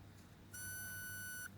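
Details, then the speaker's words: Bose QC30 left earbud with water ingress and corrosion: a piercing whistle near 1.4 kHz when the front sound port is blocked. This is noise-cancelling feedback from a displaced front mic that breaks the front cavity seal. "凡说是降噪的耳机，它都要把这个前腔啊，进行一个密封。如果不密封或者密封不到位呢，它都会出现这种啸叫。"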